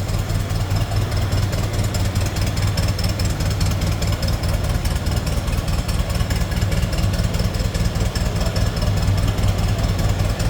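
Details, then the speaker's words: 1924 Ford Model TT C-cab flatbed, 201 cu in inline four-cylinder L-head, electric start, choked; steady even low chug about 2.5 beats a second with no knocks or misses, smooth normal idle. "like I said this thing purs smooth Runner I could actually turn that idle down just a little bit too no sounds good"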